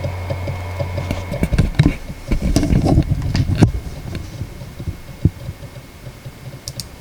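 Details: Seagate Backup Plus 8TB ST8000DM004 at idle: low hum, then irregular knocks and clicks thinning to sparse ticks; it is quiet while copying files and the noise returns when copying pauses; the owner thinks it is common and that laying the drive flat may reduce it.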